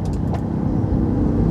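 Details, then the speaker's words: LG WP1460R 14 kg washing machine whose agitator ran on and off, after cleaning ant-clogged dirt from the timer contacts: smooth, even low hum with normal left and right rotation; normal agitator run. "Mari kita tunggu dan lihat apakah rotasi kiri dan kanan normal. Oke , ternyata itu normal."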